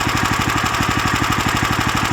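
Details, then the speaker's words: New Lifan LF390QE Pro (GX390-type) petrol engine on a flail mower, rubber-mounted, started with booster pack on a cold day: quick even beat around seventeen pulses a second, no misses or knocks; healthy idle. "but there we have it the life an FF 3 9 TQ e"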